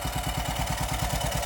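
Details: Isetta engine just started, out of gear, before warm-up: quick, even putt-putt of about eight pulses a second with no misses; timing needs excessive advance and the aluminum rod is starting to knock slightly.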